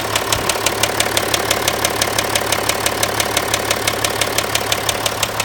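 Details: Land Rover Discovery 4 at 64,000 km, idling: sharp even ticking about three per second over a steady idle; owner attributes it to crankshaft failure, not confirmed.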